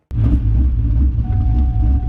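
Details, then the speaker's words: LS-swapped twin-turbo SN95 Mustang, Holley EFI, flex fuel, powerglide, after new driveshaft: idle problem probably due to unplugged radiator fan, now reconnected. Deep steady idle rumble with a faint constant whir joining as the fan spins; normal idle. "so just upon some mess around i found out that the fan came unplugged so now you can hear the fan ripping so uh that was probably the problem at idle"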